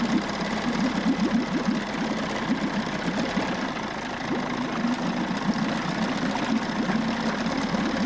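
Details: Steady, fast buzzing two-stroke idle with even beat, no misses: 1994 Johnson 6hp outboard with thermostat removed, pumping good water, running properly and shifting okay.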